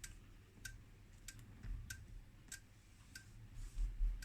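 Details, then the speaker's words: Escort 3146A (Agilent U3402A) bench multimeter from 2006 in dual display, measuring voltage and current at once: faint steady ticking about twice a second as internal relays switch back and forth, likely wearing the relays. "so that means now it's measuring both voltage and current at the same time but as you can hear what it's actually doing can you hear it clickity Clickety and it's just switching back and forward and of course if you do this all day long it's probably going to eat your relays right"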